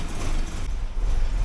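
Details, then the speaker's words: 1979 Porsche 924, cold start, new inline one-way fuel valve fitted beside the 40-year-old fuel pump: deep, uneven, lumpy idle that smooths as fuel pressure rises from a low starting pressure. "it's starting to smooth out the idle a bit once it gets up about here it gets a nice a fairly smooth idle for the cold but the way it is the uh starting pressure on it is pretty low"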